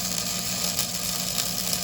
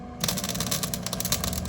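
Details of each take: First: Flux core welder, trigger held continuously while pulling a straight bead: even continuous frying crackle for about seven seconds, then stops cleanly; stable arc laying a good weld. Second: Flux-core welding by a first-time learner: short sputtering, choppy crackle instead of a steady buzz as the wire stubs and keeps sticking because the tip is too close to the metal; needs a small gap between tip and metal.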